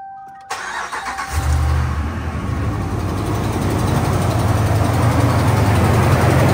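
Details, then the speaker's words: 2017 Ram 1500 5.7 Hemi on a fresh cold start after sitting overnight: catches quickly, then a light, fast tick of about four a second over idle. Broken exhaust manifold bolt leak, loudest cold and fading when warm, before repair. "Yep, the old exhaust manifold tick. Let's get that fixed."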